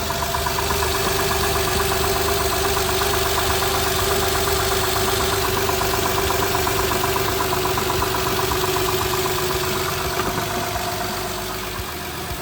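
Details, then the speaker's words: Honda Pilot with 350,000 miles, after charging-system repair (no reverse, check charging system message): quick start-up, 14 volts right away; steady, even idle with smooth hum, no knocks, ticks or belt squeal; normal idle. "All right, good quick start up. 14 volts right off the rip. That should stay that high. Everything sounds good."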